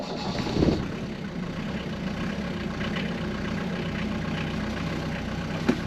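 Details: Mercedes W115 220D /8 diesel, cold start after glow plugs preheated: catches quickly with a short burst, then settles into an even, steady clatter at idle; clean, healthy start.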